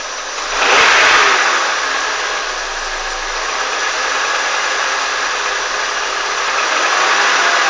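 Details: Honda CR-V engine blipped from idle: revs rise then hang with a rough, clattery edge under the roar; knock in the engine of unknown origin.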